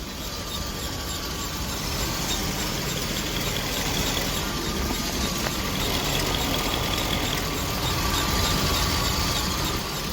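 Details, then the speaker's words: 1988 Winnebago Superchief, Chevy P30 454 V8, warming up after idle kicked down a step: quiet, low, even idle with a faint steady high whistle, the usual GM idle whistle; normal. "there you go listen to how quiet that is like guys listen to listen how quiet this is"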